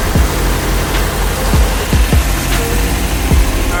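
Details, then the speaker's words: Nissan 240SX S13 coupe that won't rev past idle, just after a new fuel filter and hose clamp. The idle is a low, steady rumble with a few uneven thumps; it runs smooth at first, then fades and dies. Idle stalling, suspected fuel problem. "Obviously you guys know by now, it runs smooth at first and then it stops, so I'll check back in if it gets bad or if it doesn't."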